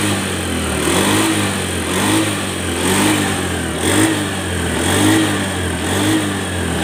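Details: Honda Beat FI scooter after light overhaul for blue smoke from late oil change/oil starvation damaging piston: engine blips up and back about once a second, smooth and even with no knocks or rattles; running healthy.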